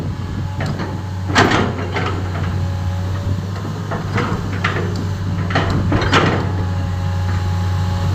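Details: PC10-8N1 machine after a new engine controller fixed a no-start: steady, even low diesel hum with a few clanks from the machine around it, a normal idle.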